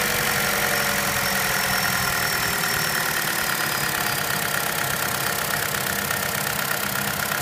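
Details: 2013 Chevrolet Cruze Eco at a steady idle: a light, quick, even ticking that never changes, which the dealer says is normal.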